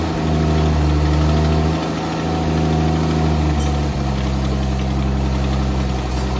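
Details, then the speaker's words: 1964 Dodge Dart station wagon, 170 slant six with push-button automatic, revived after 25+ years parked: steady, even idle, smooth low hum, no knocks, misses or surging; running really good, normal idle. "I mean, that thing seems to be running really good, doesn't it?"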